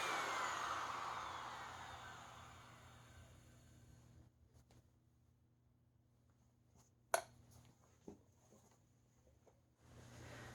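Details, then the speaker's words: Hoover Air Steerable vacuum motor, about 5 years old, bench-run after a commutator polish: loud motor winding down smoothly to silence with no grinding, rattle or scraping; bearings and commutator sound fine, the noise likely a dirty commutator. "Well, I'm not hearing anything too weird with that, so it might just have been a really dirty commutator."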